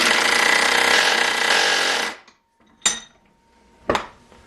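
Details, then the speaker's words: Ryobi impact driver, a few years of hard use, reassembled after a teardown that showed almost no wear, normal versus high speed: a fast, harsh rattling hammer for about two seconds, then a stop with a couple of clicks; normal impact mechanism. "so that sounds fairly so not exactly the most linear speed and it almost seems like it's got more torque before it kicks over to that high speed they're just"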